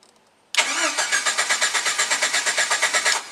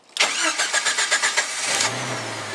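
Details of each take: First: Jeep Wrangler YJ straight-wired with push-button starter to bypass a faulty key cylinder: starter cranks steadily about six pulses a second for under three seconds with no firing, because the ignition arming switch is off. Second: Jeep Wrangler YJ started keyless by a hidden arming switch and starter relay, bypassing a failed key cylinder: quick even cranking, about eight pulses, catches in under two seconds and settles to a smooth, steady idle.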